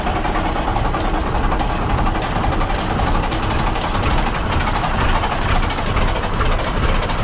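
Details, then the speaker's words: 1965 Kenworth W900 diesel, dead for years, starting at half throttle before the injector rack was corrected: heavy, ragged, loping thumps, running on only two cylinders. Misfire from a misadjusted injector rack. "it's only running on two solders that R right nope I'm so excited but I think what we're going to have to do is check that rack and see we we got some something that ain't right"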